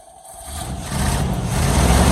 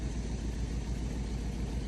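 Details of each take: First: 1973 Chevy K5 Blazer, 350 V8, 4-speed manual, first start after about 30 years sitting, rat debris packed in exhaust: engine catches and runs lumpy and uneven under a harsh drone; rough running, coolant keeps disappearing, cause unconfirmed. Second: 1973 Chevy K5 Blazer with 350 V8, revived after about 30 years sitting, thermostat deleted after overheating, fuel added: deep, even V8 idle with steady low rumble and no skips or knocks; running smooth, normal idle.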